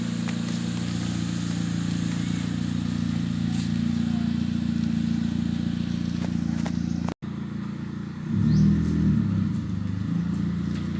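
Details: Ford Fiesta Mk7 with Borla exhaust after exhaust leak fixed using a silicone gasket: smooth low idle, then a clean rev rising and settling with no ticking or puffing; exhaust sounds sealed and tight.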